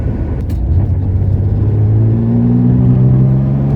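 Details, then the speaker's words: 1970 Porsche 911T flat-six that previously kept stalling, now driving: deep, smooth rumble whose pitch rises evenly as the car pulls away, with no misfire or stumble. Normal acceleration. "There we go. This thing sounds good. Man, it feels good to finally drive this car."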